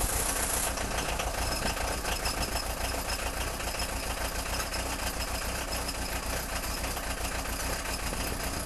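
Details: Peugeot 306 XLtd diesel cold start after a full glow plug cycle with no throttle: it struggles to fire, then idles unevenly with a loose, irregular clatter. The owner suspects failing injectors.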